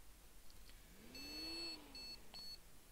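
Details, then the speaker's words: Asus H97M-E motherboard with i7-4770 CPU, heat sink resting on CPU, no RAM installed, powers on but wouldn't boot: one long then two short beeps repeating; no-memory POST beep code, board alive. "yeah can you hear it that's good so it bleeps without any ramen that's that's uh that's a good start for sure we know it's basically alive"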